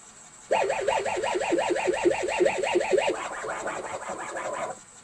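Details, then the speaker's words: ZX Spectrum 128 +2 built-in cassette drive failing to load tapes: a warbling, wavering two-tone squeal pulses about three times a second instead of normal 8-bit loading tones. Abnormal cassette loading sound. "okay so it's no surprise that the spectrum tape drive isn't working uh it's unfortunate everything else appears to be okay but you can hear when the tape is playing it doesn't sound like a normal cassette tape loading one of these old 8-bit machines"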